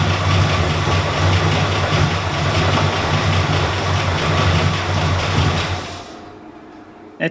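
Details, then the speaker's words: Ford EB II Fairmont, first start after about four years sitting, cold: catches at once then lumpy, uneven, wavering idle; rough idle from vacuum leak, owner suspects MAP sensor on firewall not getting good vacuum so engine dumps fuel. "started right up but she's about as cranky as waking up miss brownie on a day off something's off"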